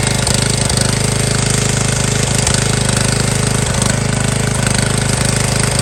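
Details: MTD Yard Bug riding mower left sitting for years at a boat storage yard, first start after a spark check and fresh gas: single-cylinder engine runs steadily with a quick, even putter, no misses or knocks, sounding healthy.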